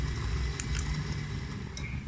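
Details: Automatic sliding gate opener motor: loud, rough low drone with a few sharp clicks; worn, rusted bearings (6203 and 6003).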